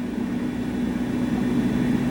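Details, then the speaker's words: Water heater at full load, heater and bathtub running, about 120,000 BTU total: soft steady low hum with even fan rush, no surging or rattles; meter reads about 55 dB indoors, much quieter than a voice. "Okay, so we're running basically full power right now. We got the heater on and we have the bathtub running. So we're using probably 120,000 BTUs."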